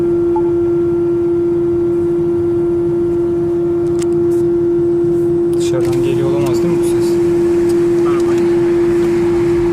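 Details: Renault Kadjar Icon 1.5 EDC with R-Link 2.0: a loud steady one-pitch electrical hum from the rear speakers, present while driving and still there with the engine stopped. It is a multimedia unit fault, cleared by a long-press restart of the system.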